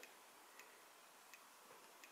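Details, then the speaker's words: Amiga 1200 rev 2B motherboard with a red RGB fault: an audio logic probe on the DAC side of a failed 68-ohm resistor gives near silence with sparse faint ticks, about one every half second, while the Lisa side has pulses. Hardly any signal passes. "Yeah, so hardly anything is getting through."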